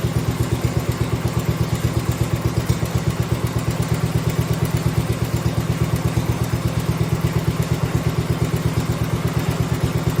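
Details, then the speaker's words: 1971 John Deere 110, single cylinder, just converted from magneto to battery ignition, original points and condenser, possibly cold: even, steady idle about three beats a second, no misses; starts easier than before; normal idle. "well that started I was going to say that started a lot easier than used to it might be cold that's probably why it stalled cuz I didn't have to fight with it in order to keep it running which is nice"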